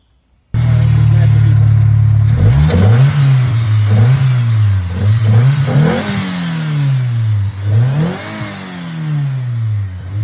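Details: 2G Mitsubishi Eclipse running again after a long crank-no-start and a piston ring replacement for low cylinder-three compression: it catches and settles into a steady idle, then clean blips rise and fall smoothly with no misses. Healthy.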